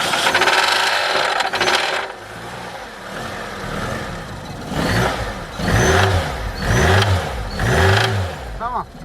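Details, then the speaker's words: 1993 Tofaş Doğan SL 1.6 towed in after running out of oil; knock grew after adding oil. Engine blipped about once a second with hard knocking from the lower block under each rev; crank bearings suspected burned from oil starvation. "ses geldi ya koydum ondan sonra siz daha çok artmaya başladı ve bu takır takır alttan böyle motorun alt tarafından böyle bir vurma sesi geldi"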